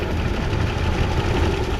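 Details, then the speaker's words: 1988 Chevrolet Caprice Classic wagon, first start after 15 years in storage, needing only cleaning and a fresh battery: a low steady idle with a faint light ticking from the top end; mild valvetrain noise, cause unconfirmed. "a little bit a little bit of noise up top but really not so bad this thing runs great very excited about this"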